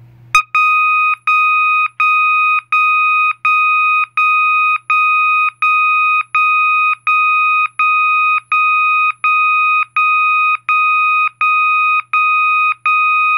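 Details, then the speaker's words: System Sensor MASS121575ADA horn with clip B inserted: clean 1200 Hz interrupted beep pulsing evenly about 83 times a minute, like a forklift backup beeper. The tone is working normally. "the next tone is 1200 Hertz interrupted and this tone is generated when you insert clip B so and this tone is cool because it sounds like a forklift backup beeper"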